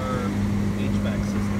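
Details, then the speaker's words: Fisker Karma HVAC, after AC recovery, heater control door actuator previously removed: fan on high gives a steady low hum with an uneven rumble underneath. The blower motor sounds off balance and noisy. "i don't know if you can hear the rumble of the blower motor sounding like it's off balance but there's a rumbling in there"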